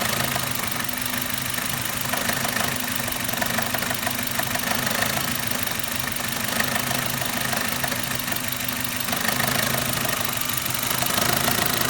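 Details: Suzuki Ignis M13A petrol engine at steady idle with a fast, slightly uneven light knock around three per second; engine knock, source unclear.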